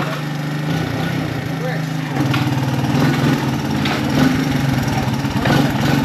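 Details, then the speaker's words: Honda ATC 200 ATV with new carb and gas tank, just after clutch adjustment: small single putters at a steady, even idle with occasional slight revs, no misses or clatter; normal running, still not perfect. "it all right so we're just getting this bike going for the girlfriend it's still not perfect"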